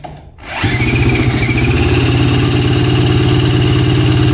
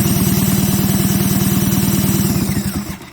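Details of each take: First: 1977 Polaris Colt 250 snowmobile, a barn find probably unrun for about 18 years, drill-cranked on full choke with the throttle closed and key on: steady cranking at about three turns a second, no firing. Fuel is seen in the line; owner suspects no spark. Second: 1977 Polaris Colt 250 snowmobile, unrun for about 18 years, compression test after a 12-hour Marvel Mystery Oil soak per cylinder: fast, even chuffing while turned over. Readings were about 120 and 105 psi, judged enough to run.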